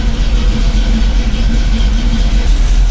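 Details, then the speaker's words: 1985 Chevy C10 cammed V8 with new Holley 4160 Street Warrior 600 CFM electric-choke carb, cold start after sitting hours, choke closed, fast idle turned down: deep even rumble, no misses or knocks, clean cold idle; normal. "See, I like that. That sounds good. It's not screaming."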